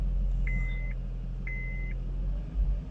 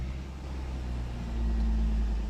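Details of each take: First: 2013 Honda Accord petrol engine idling with a steady raised drone and check-engine light on; idle speed sits high because the throttle idle position is unlearned. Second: 2013 Honda Accord idling at normal operating temperature after an idle learn procedure for a rough idle with check engine light: low steady hum with no hunting or surging, normal idle.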